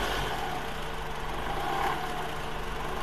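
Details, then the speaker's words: Toyota Highlander petrol engine in gear under light throttle: a faint dull tapping over a steady low hum; balance shaft noise suspected (80-90% of such cases). "这种80%、90%都是平衡轴的异响。"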